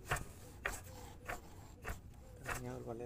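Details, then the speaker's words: Ford Focus 2000 Zetec 2.0 DOHC, water pump spun by hand during a timing belt job: rough, uneven, gritty scraping bursts from the damaged internal bearing; water pump bearing grinding, pump replaced with a new one. "El balero que trae interno como dijo el tío está dañado Esa es la bomba del agua"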